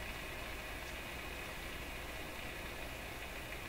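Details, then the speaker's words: Rogers 11RA651 shortwave radio after a tube replacement. Only a low, even hiss with no crackle or static crashes, really quiet now. This is a quiet receiver background. "for the failing component sound, the static crashes, all that kind of stuff, wow, it's really quiet now."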